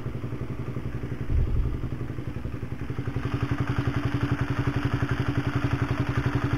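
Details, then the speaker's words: Honda CB150R engine, kick-started, mic close to the engine, after rebuild with new DID cam chain, new oil, and radiator coolant refilled: idles with a steady knocking clatter about four beats a second, still present but quieter than before. "masih kotok kotok ini masih sekelompok tapi masih mending daripada yang lama ya"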